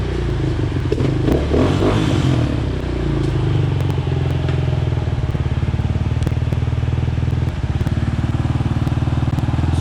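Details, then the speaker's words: Yamaha Raptor 250 race quad after clutch rebuild (Wiseco basket, Hinson discs, steels, springs, new hub, pressure plate, clutch rod), put in gear and clutch let out: steady single thump, rolls forward smoothly without slip or chatter. Normal running, clutch engaging. "i'm gonna go ahead and let the clutch out a little bit she rolls right forward so the new clutch works really good seems like it's adjusted pretty good so we're gonna go with that"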